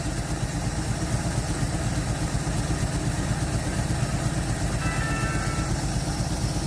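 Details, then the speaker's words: 1948 Chevy Stylemaster inline six, off the road since 1968, running on old gas without choke: steady, even idle with soft regular pulse, no knocks or misses, idle improving. "oh Todd you hear that it picked up it's idling even better"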